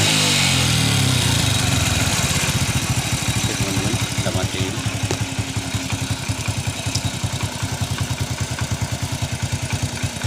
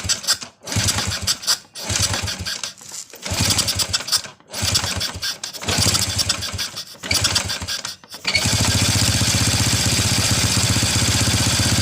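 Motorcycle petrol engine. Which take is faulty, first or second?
second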